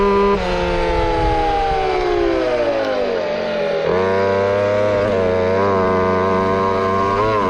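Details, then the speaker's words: Bigfoot RC truck with small two-stroke engine on a top-speed run, about 28 mph; high steady scream at full speed, pitch sagging and recovering; owner thinks it went slightly too far lean and will richen the needle. "so i think we're about maxed out for this thing um i'm gonna richnet up a little more because it was i think we went just too far lean"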